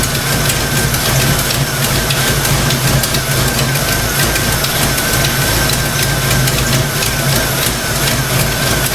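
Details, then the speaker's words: Fox-body Mustang V8 at warm idle after thermostat install: quick, even clacking tick over the rumble from the valvetrain; owner suspects stock rockers. Engine not heating, water pump suspected of not circulating coolant. "Yeah, you know, it almost sounds like that, the clacking noise coming from the valve range. I bet you this thing's got stock rockers on it."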